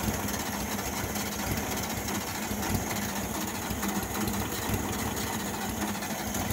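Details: 1972 VW Beetle cranking: continuous mechanical churning with a low, steady thrum and no firing; engine turns over but won't start, cause not confirmed.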